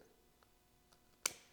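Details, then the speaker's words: Tank-top propane heater (Mr Heater) being tested for not staying lit; single sharp metallic click, then a fading ring, as the thermocouple-held safety valve engages, normal safety valve operation. "there we go and it already stays engaged the safety valve that is and you'll hear the click when it disengages"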